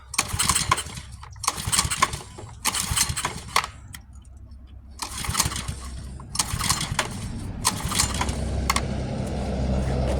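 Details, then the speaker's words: Pressure washer with a new carburetor and plenty of gas: quick rope pulls turn the engine over, but it never catches. It had not been switched on, and owner suspects it may now be flooded. "It would help if you turn it on, right? I might have flooded it."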